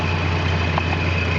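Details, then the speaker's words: 1969 Plymouth Valiant Signet with 225 Slant 6, warm start after driving home: thin steady squeal riding above an even, low six-cylinder idle; worn accessory belt slipping, owner plans to replace it. "one other thing I want to do replace the belt you hear the belt"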